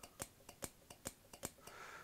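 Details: Returned LonWorks control circuit board from around 1999, after repairing the relay fault that damaged the PCB: crisp sharp clicks about every quarter second in a quiet room as relays zero to six switch one after another, all working normally.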